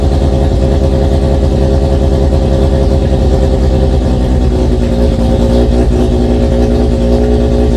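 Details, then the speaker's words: Mazda RX-7 FC3S rotary on flex fuel, Haltech Elite 1500 ECU, after installing stock BAC idle air control valve set to 10 Hz and 60% max output, before tuning: fast, steady buzzing idle well above normal with no dip. "it does still idle very high, but the point is we can get it fired up and idling even with this flex fuel setup before we've seen the tuner."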